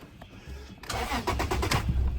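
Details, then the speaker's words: 2008 Toyota Tacoma 4.0L that died on the highway, no codes, restarts but dies after seconds: engine cranks, catches and runs unevenly with surging revs, kept alive by feathering throttle, dying when held steady. "So there's no codes on it, and I can feather the throttle and keep it running up here at 3 or 4. But I can't hold it steady. Holding it steady, it instantly dies."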